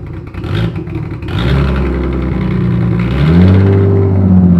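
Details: Nissan S13 with RB25 six-cylinder, stock with ARP parts, idling then revving: uneven wavering, stumbling idle; rough idle cause not yet found.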